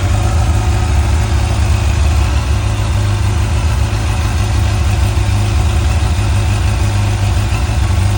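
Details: Motorcycle that had a no-start/slow problem, after priming: a steady, even, low-pitched idle without stumbling or surging, so it is running cleanly.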